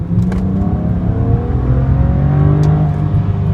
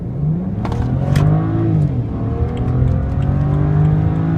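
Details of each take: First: 2008 BMW E90 335xi xDrive, stock twin-turbo N54, hot after a 15–20 min drive, fresh plugs, coils and HPFP: deep, even full-throttle pull with a smooth climbing tone, no stumbles; no misfire this run despite intermittent misfires. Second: 2008 BMW E90 335xi xDrive, stock twin-turbo N54, hot, with fresh plugs, coils and HPFP: full-throttle pull from near standstill whose rising note stumbles and drops out briefly a couple of times; intermittent misfire under load.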